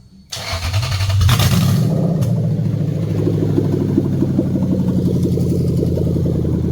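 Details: Toyota 3UZ V8 in a manual conversion with new wiring and performance tune (EVAP, rear O2 sensors and immobilizer off), test start: quick crank, brief flare, then smooth even idle, no ticking or misfire; normal.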